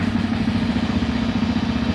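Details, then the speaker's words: Janus Halcyon 450 single-cylinder motorcycle, first start in neutral with key on and side stand up, no throttle: a short stretch of even idle with a steady low thump and no irregular knocks; healthy. "And the bike should start right up."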